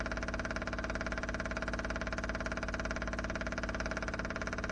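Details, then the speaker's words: 4WD Daytona temporary fuel system test: newly installed lift pump (feeding surge tank, with high-pressure booster pump and adjustable regulator) switched on; steady even pulsing hum about 2.5 beats per second, no rattle or strain; lift pump running normally. "all right let's see if I can turn the lift pump on that's going to be obnoxious"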